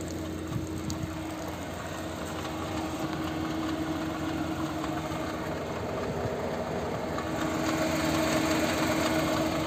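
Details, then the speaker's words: Chevrolet Onix Plus naturally aspirated three-cylinder, new, at idle: a soft, fairly regular patter, nearly four beats a second, drifting louder and quieter. Occurs only sometimes; dealer mechanic calls it normal, owner finds it strange. "O mecânico da Chevrolet disse que esse barulho é normal dos 3 cilindros, mas tá estranho. E é só às vezes que faz, entendeu?"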